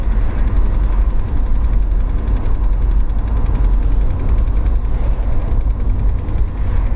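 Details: Deep steady running drone with faint quick tick over it; owner suspects transmission-related, engine believed fine, source of ticking still unknown.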